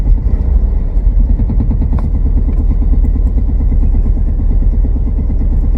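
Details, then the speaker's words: 2000 Chevy S10 on its first start after battery hookup and an oil change, with the service engine soon light on: an uneven, lumpy idle with stumbling pulses that shake the truck. A bad misfire, cause not yet found. "so we got a bad Miss that's about it let's go check it out real quick oh look at good bad miss making it jump jump jump"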